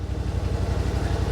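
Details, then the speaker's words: 2021 Yamaha Wolverine RMAX XTR 1000 4-seater, idling, noise meter around 75 dB in front and back seats: steady, even low putter with smooth regular beat, nothing knocking or rattling; healthy idle. "so just idleing here you can see if I stop talking it's around 75 then how is it in the back here about the same"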